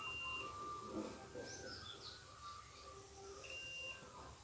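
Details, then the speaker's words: Two-relay TV stabilizer, second transistor tested in circuit with multimeter continuity: two short shrill beeps across its legs, showing shorted legs; both transistors are to be desoldered with a solder gun and checked out of circuit. "3 leg ಸೋಟ್ ಹೇಳ್ತಾ ಇದೆ. ಹಾಗಾದರೆ ಬನ್ನಿ ಇವೆರಡು ಟ್ರಾನ್ಸಿಸ್ಟರ್ನ open ಮಾಡ್ಕೊಂಡು ಒಂದ್ಸಲ check ಮಾಡೋಣ."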